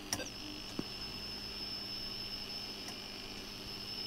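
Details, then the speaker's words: Atari XC12 cassette drive on Atari 65XE, after cleaning and repair, with new 5 V 2 A power supply, loading a saved program: quiet steady motor hum with a level thin high tone, no rumble or growl; drive running normally, quieter than before. "if we do a/c load and get the beep but then we get the noise actually sounds better now"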